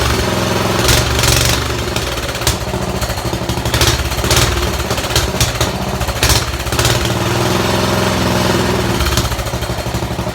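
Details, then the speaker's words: Sears Suburban garden tractor, small single-cylinder engine at steady speed: loud, raw, rapid popping bark, harsh and unsilenced; runs good but the muffler is busted out. "runs good even that busted out Shusher doesn't sound good man"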